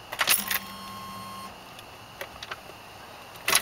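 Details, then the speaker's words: 1994 Ford Bronco, same engine as OBS F150, key on without cranking: faint electric hum for about a second then stops; normal short fuel pump prime, pump only restarts on cranking, unlike a failing EEC-IV computer. "hear the fuel pump only runs very briefly it doesn't run continuously when you turn the key on and don't start it it's not until you actually crank the truck that the fuel pump will kick back on"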